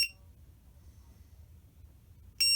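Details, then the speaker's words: MJX Bugs 3 drone fitted with an add-on lost-model beeper: two short high-pitched electronic chirps about two and a half seconds apart, sounding when connection is lost so the drone can be found. "just beep. I'll be able to find it."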